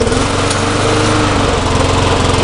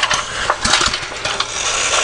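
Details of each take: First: Neglected small lawn mower engine, soaked after being flipped upside down, running steady with a rough, rapid rattling clatter like the blade striking when the front wheels are lifted. The blade shows no clearance problem when inspected, so the source is unconfirmed. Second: Neglected garden-tractor small single-cylinder engine with a metal carburetor and auto choke, needs choking: catches on the pull and runs with sharp, even firing pops; starts readily with good compression.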